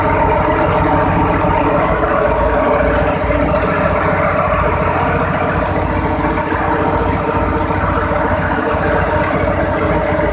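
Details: Cummins VTA28 725hp marine diesel, first start after overhaul: a steady, even idle rumble with no knocks or misses, sounding like a healthy idle.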